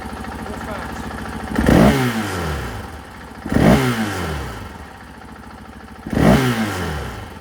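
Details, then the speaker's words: 2024 KTM 500 XW-F with a Vortex ECU fitted, previously bogging and flaming out in stock form: three sharp blips to wide open throttle, revs snap up and drop cleanly with no stumble or bog. "well you can see in here now that it's very responsive"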